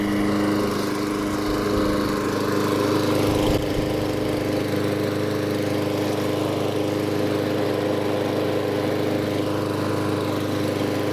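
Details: New Echo 190cc twin-blade gas mower mulching; steady even engine drone at constant speed, no misses, knocks or surging, running normally.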